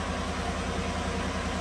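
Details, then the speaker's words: 2017 Chevy Silverado 5.3 V8 after bent pushrod replacement and electronic AFM delete via EFI Live, before road test: smooth, even rumble at idle, no skips or ticking, misfire data showing no misfires; normal idle. "I haven't taken it for a road test I just jumped in it and there's no misfires on it now so the misfire data is perfect"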